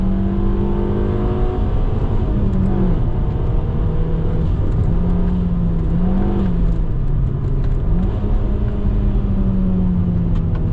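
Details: Alfa Romeo MiTo after replacing a leaking rear silencer (gap at the silencer-to-pipe joint) and the mid pipe with an Imasaf QV exhaust: a smooth, deep hum rising and falling with gentle revs, no puffing or rasp. Exhaust tight.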